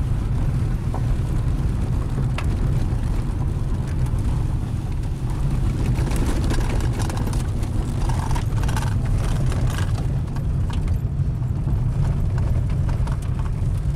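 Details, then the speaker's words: 1996 Mercury Mystique at almost 250,000 miles, test drive on rough road after clutch and oil pan gasket replacement: steady low road rumble with only faint ticks, no rattle or clunks; previous annoying rattle gone. "It kind of floats, absorbs everything, pretty quiet. I don't hear the annoying rattle anymore."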